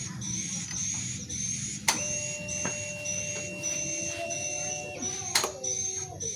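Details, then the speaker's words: Yamaha Vixion (old) fuel-injected motorcycle at key-on: a click, then a steady faint electric hum for about three seconds and another click; normal fuel pump prime, also heard when switched off. "ketika di kontak juga bunyi dan ketika dimatikan juga bunyinya"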